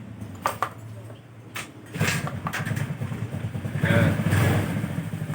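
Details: Carbureted Honda Vario scooter with DC ignition that died and would not start, regulator (kiprok) tested by running without battery: short starter whir, then catches at about two seconds and settles into a steady, even idle with no misses.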